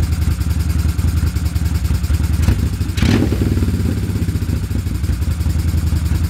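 Lumpy, uneven idle with stumbling, irregular beats and missed pulses, sounds like one cylinder is misfiring.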